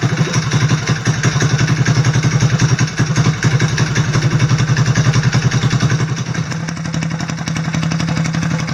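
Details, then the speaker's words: Vintage mower with an NR Racing single-cylinder motor, after setting timing to 25°, coil air gap to about 0.020 in and valve lash to spec (0.003 exhaust, 0.002 intake): steady, even firing with a solid thump, no misses or clatter. Normal running. "fired it up and this thing runs ridiculously well but actions speak louder than words so I'm going to fire it up real quick and let you guys hear it for yourself"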